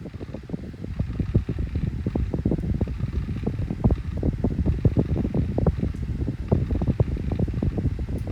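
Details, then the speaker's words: Tesco DF96 9-inch desk fan on its lowest speed setting: steady low whir with a light, uneven rattle riding on it; fan spins up and runs normally, described as makes a bit of a noise but works fine. "so seems to work fine so yeah so they are very very powerful SMC fans they are quite powerful"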